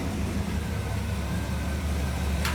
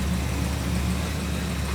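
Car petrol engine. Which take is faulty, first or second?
second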